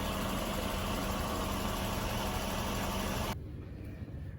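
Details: 2004 first-generation Honda Pilot with check engine light and codes P0302–P0306 and P1399, idling: slightly uneven, lumpy beat from multiple cylinder misfires. Leak-down test shows cylinder 3 losing pressure at 20 psi; the heads must be removed.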